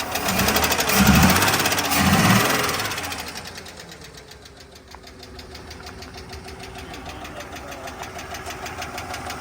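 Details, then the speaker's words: 1994 Ford F-150 first run after 7 years parked seized: sharp regular ticking about three times a second over weak idle, in time with engine; owner suspects rocker arm needs adjusting, unconfirmed. "It seems like it ain't got nothing. Rocker arm needs to be adjusted."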